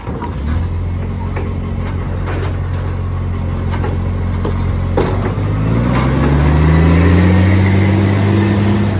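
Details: Garbage truck (SJ, SL01400) diesel revving and pulling away with a deep, loud blatting roar climbing in pitch, the raw open note of a massive exhaust leak.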